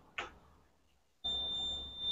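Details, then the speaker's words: Electrolux LTD11 10 kg washing machine that would not power on, after replacing the power board: a click, then one steady high beep of about a second as it powers up normally and the soap valve starts. "ele já ligou tá funcionando beleza já começou a funcionar a válvula do sabão já ligou"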